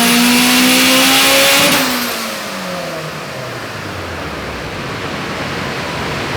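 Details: Turbo Honda on dyno with unique turbo manifold, PTE 6266 / S300 turbo, CTR cams, 1000cc injectors, 9:1 pistons/rods, 14 psi boost: smooth high-revving scream at top, clean wind-down, no misfire; weird powerband, not full boost until about 7000 rpm.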